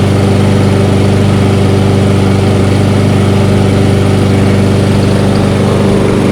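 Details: Toro 22-inch Recycler mower, small single-cylinder engine, after reassembly and refuelling: steady, even beat with smooth low drone, no misses or knocks; runs normally.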